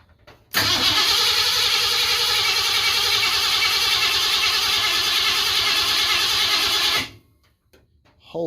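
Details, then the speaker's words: 1988 Ford F150 XLT 5.0 302 V8 after starter replacement (old starter worn, would not restart when hot): loud, fast, even cranking about four beats a second for six seconds, spinning freely; normal starter cranking. "Okay, needless to say, that is fixed. That thing has never swung over that fast and that loud ever before."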